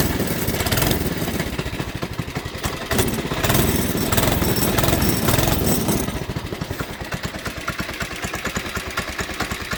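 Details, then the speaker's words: Old engine on a Baja doodlebug, warmed up: uneven lumpy popping, sagging and nearly stalling, stalls repeatedly; cause unclear, being replaced with a Predator 212. "if i guess if you can't already tell why i'm getting a new engine this is why this engine won't run very well anymore it sounds like it's about to die again"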